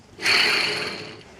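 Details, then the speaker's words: GM front-wheel-drive Oldsmobile Alero front hub bearing assembly, removed, spun by hand on the bench: raspy, gritty whirr dying away over a second, unlike the new one that barely spins; bearing worn. "it's definitely bad cuz if you compare it to the new one the new one just barely spins it feels nice and solid that's how a new one should be"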